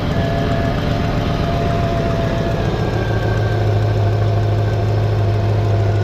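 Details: LT1 Caprice 9C1 V8 after water pump and stock Optispark replacement and radiator hoses: catches and settles to steady even idle rumble with faint belt whine; earlier hesitating, skipping misses gone, running fine.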